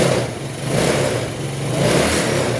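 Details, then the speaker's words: Yamaha Mio Sporty scooter, lowered, after fixing hard starting and unstable idle caused by a rusted spark plug cap; catches on two presses of the starter and revs up and down cleanly, no sputter or misfire. "Working na working progress na. Wala naputok-putok siya o hindi agad naandar. Dalawang pindot lang andar na."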